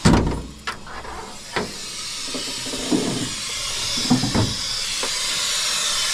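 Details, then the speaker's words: Truck AC with a newly installed compressor: steady loud hiss with handling knocks as refrigerant escapes; first blamed on the compressor, then traced to the bottom of an AC line that blew out. "Okay, so maybe it's not the compressor, maybe it's the line now."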